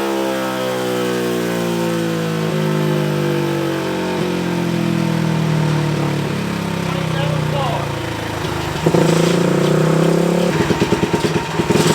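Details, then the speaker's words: Tcb Xf-24 pit bike, Daytona 190-based 225cc stroker single (66mm piston), full-throttle dyno run after richening the needle one clip: note climbs steadily under full load with clean, even exhaust, then drops off; final run made 27.8 hp, 19.9 ft-lb. "Alright, so we just got our final test run. We were able to hit 27, which is absolutely insane."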